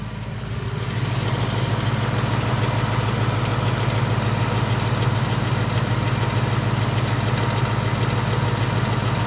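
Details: 2018 Ford Mustang GT, third-gen Coyote, about 6,000 miles and on its third short block: a light, regular tick about three times a second over a steady idle.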